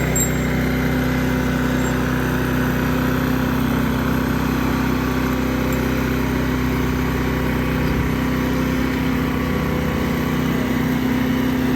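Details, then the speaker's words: New Firman dual-fuel 4000 W generator, electric-started, warmed up, on full mode, heard from about 18 feet away: steady, even, quiet hum with no knocks, surges or rattles; conversation possible without shouting; running healthy. "uh it's considerably quiet you could have a conversation with somebody you really wouldn't um you wouldn't have to yell or scream or anything um and that's on full mode"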